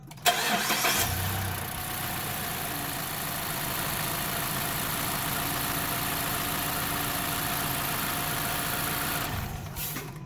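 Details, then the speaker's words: 2014 Mazda 3 SKYACTIV 2.0 L engine started right after new spark plug replacement; catches promptly, flares briefly, then settles to a smooth, even idle with no misses or ticking; running normally. "as you can see it is running nicely there's no issues currently so we're good to go"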